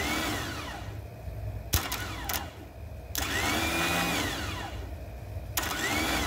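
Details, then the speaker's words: John Deere mower that does nothing at the key. With battery power jumped to the starter, the starter whine winds up and falls away in short bursts with no cranking. The motor free-spins because the Bendix pinion never engages the flywheel gear. "starter is spinning, but the Bendix doesn't seem to be kicking up to go into the gears on the flywheel and turn the engine."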